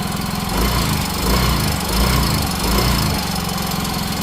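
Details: Yamaha Mio 125 / Fino / Soul GT / Mio M3 scooter: a rough, uneven top-end clatter pulsing in slow waves over the idle. The rocker arm checked good, and a worn camshaft was replaced.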